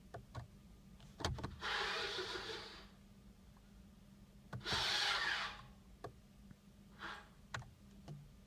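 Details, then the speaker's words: 2014 Tesla Model S parking brake servos on release: two short whirring motor runs with clicks between, the driver-side servo taking slightly longer to cycle. "it was a quick video with my parking brake servo noise when they release the driver side takes slightly longer to cycle"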